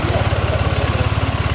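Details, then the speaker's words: First-generation Yamaha NMAX with an ISC sensor, slightly warm: a fast, even single-cylinder putter of about eighteen pulses a second, and the scooter creeps forward at stops. High idle. "Kita berhenti di lampu merah atau enggak pas posisi keadaan macet, ini motor nyelonong terus maju sendiri karena gasnya tinggi ya."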